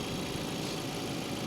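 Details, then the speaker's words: Chevy with basic Ecotec engine at auction idling: quiet, even idle with soft steady hum, no knocks, ticks or misses; sounds healthy. "Look how quiet this is. And they get good gas mileage too. This is your basic Ecotec engine. No complaints, pretty reliable."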